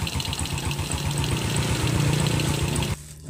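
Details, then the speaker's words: Yamaha Jupiter Z just revived after a year dead, new oil rising to the engine; low, steady single-cylinder idle about four pulses a second, slightly uneven, smoking from the long layup, running on its own until it cuts off. "Yang penting sudah hidup, nanti kan tinggal dirapikan ini. Ya, motornya akhirnya hidup."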